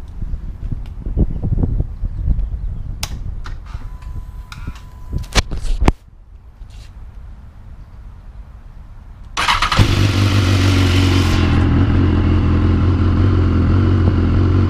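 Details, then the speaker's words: BMW S1000R at startup after a manual cam chain tensioner was fitted during a routine visit: handling clunks, then fires and settles into steady even idle with no rattle; the previous noise was thought to be a slightly loose chain. "they put in a manual cam chain tensioner BMW Escondido some guy makes him over there and I put it in and it sounds better on startup"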